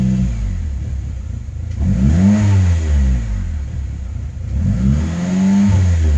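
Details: 2005 Saab 9-3 Aero after rebuild, code P0300, check-engine light flashing, brand-new plugs: uneven note surging every couple of seconds with stumbling lumpy beat; rough idle with misfire, owner suspects coil packs.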